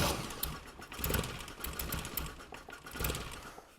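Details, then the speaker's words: 1975 Mini Clubman estate with an engine that had sat for 12 years, firing order set to 1-3-4-2 and the fuel pump just reviving: uneven cranking with brief catches and firing bursts that fade; the engine is starting to catch. "oh that sounded a bit more promising didn't it"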